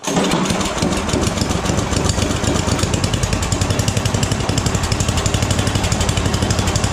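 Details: Snowblower small single-cylinder engine, rebuilt last year after throwing a rod, with a new connecting rod, gaskets and a freshly tuned carb, started on full choke after three primer shots; catches quickly and settles into a steady, even chug with no knocks; normal running.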